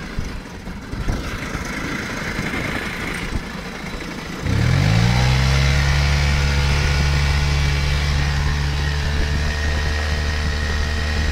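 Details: Yamaha 5 hp outboard, warm after running a while at full throttle: recently a thin, constant high-pitched squeal over the engine note at idle in gear, not in neutral; cause unknown.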